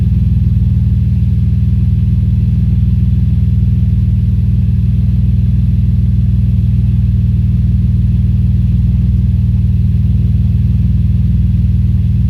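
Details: Audi S4 B5 engine misfire: a steady engine note broken by a regular stumble about three times a second.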